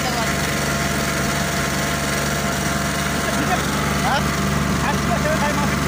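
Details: Oasis150 C/U small diesel that would not start after running out of diesel, now refuelled with the injector fuel line bled: steady, even chugging at constant speed with no knocks, stumbles or hunting; normal running.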